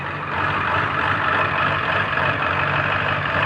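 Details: Long-sitting Ford Powerstroke diesel truck with 204,000 miles, just started: steady, even diesel clatter at idle with no misses or knocks; healthy idle.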